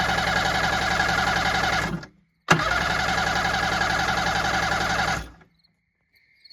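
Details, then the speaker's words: Kawasaki JS550 stand-up jet ski with suspected blown motor, cranked with kill-switch lanyard in: two short bursts of even starter whirring with quick regular pulses, stopping each time without firing; cranks but won't run. "It turns over and it won't run. So, we're going to find out why."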